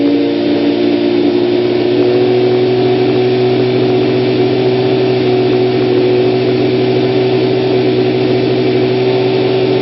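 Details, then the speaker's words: 1992 Kawasaki ZZR-600 (ZX600D) four-cylinder, stock exhaust believed unmodified: smooth, even hum with steady pitch and no knocks, ticks or rattles. Runs clean and healthy. "listen to what it sounds like and starts up not bad I think it's a stock cly exhaust"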